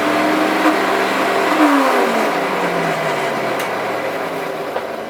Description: Le moteur fait un bruit étrange. Un des roulements à l'intérieur du moteur s'est brisé.